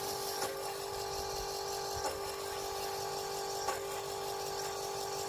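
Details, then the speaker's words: Fuel lift pump (FASS 150) on a Chevy Duramax LML diesel truck, key on, pump previously found not working: steady, even electric hum at one constant pitch, no surging or rattling; believed normal, though the owner is unsure. "so anyways guys that's what it's supposed to sound like let me know if that sounds completely horrible or if it sounds like it's broken"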